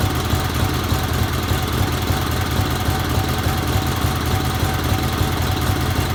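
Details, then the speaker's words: 1977 Sears 16/6 garden tractor with twin-cylinder Onan engine after carb rehab, homemade plug wires, used points and original GT18 coil, old fuel unchanged: low, even putter at steady speed, no misses, knocks or hunting; running normally. "Made some plug wires for this thing and just kind of slapped it together, and it runs pretty good."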